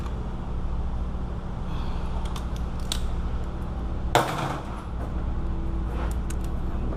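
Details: 2005 Nissan Maxima 3.5 after replacing both camshaft position sensors (fault caused no power, no hot start): smooth, steady low idle with no stumbles or hunting, light clinking from handling over it; normal idle after repair.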